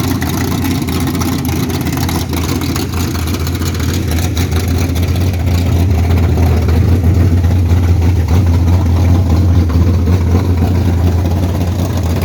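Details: 1969 Camaro V8 with eBay heads, raised runners, Holley Street Dominator, 600cfm Holley, 12-601-4 cam kit, full-length headers, idling a few minutes: lumpy loud rumble with uneven ticking about three or four a second; cause unclear.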